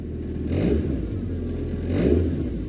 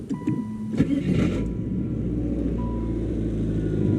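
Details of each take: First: 1997 Saturn SL2 after replacing engine and transmission mounts: two even revs with steady low drone, no knocks, car not shaking; AC compressor bearing or tensioner noise still suspected; smooth rev with no shaking. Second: 1997 Saturn SL2 before engine and transmission mount replacement: engine starts and idles with loud loose rattling buzz over low hum, louder on passenger side; top passenger-side motor mount suspected, all four mounts being replaced.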